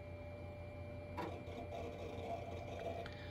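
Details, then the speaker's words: 1999 Compaq Presario 5441 mini desktop just powered on, booting Windows 98: quiet steady CPU fan whir with a faint constant tone; normal. "one thing that's definitely present is the CPU fan sound you can definitely hear it"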